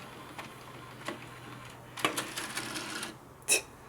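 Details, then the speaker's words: Panasonic SC-313 compact stereo found at the dump, running its CD-check feature: low motor hum, scattered clicks and a short whirring shuffle as discs change. Normal CD changer cycling. "That way you can see all your CDs. It's kind of funny."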